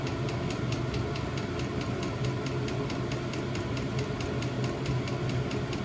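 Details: New diesel heater replacing old petrol heater in VW T25 Westfalia, first startup after E10 errors in cold January; steady fan roar with crisp pump tick about three a second, running normally.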